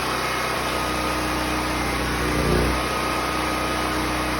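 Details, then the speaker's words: Predator 6500 W portable generator, unloaded, fuel supply shut off after cooling down: steady drone, then brief surges and stumbles as it starves of fuel before shutdown. "It should stop sputtering soon. You will hear it when it starts losing fuel supply. There it goes, starting now."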